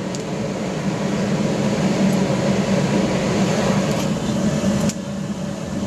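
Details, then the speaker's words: Gravity-fed waste-oil burner with small blower in a pot belly stove conversion, warming up after lighting: steady low blower roar with faint sharp pops every couple of seconds from moisture drying out of burner and heater; normal warm-up popping. "you might hear a bit of popping as the moisture starts drying out of the burner and maybe even the um the fireplace as well the heater"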